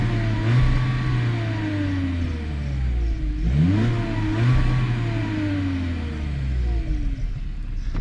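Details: 2021 Volkswagen Jetta four-cylinder, recorded at the rear exhaust: smooth, muffled free revs rising and falling, pitch climbing cleanly with throttle; quiet and healthy, no knocks.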